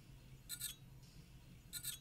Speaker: physical damage can be much more complicated you can tell that your device is suffering from physical damage when you plug it in as it will make a ticking or crunching sound like this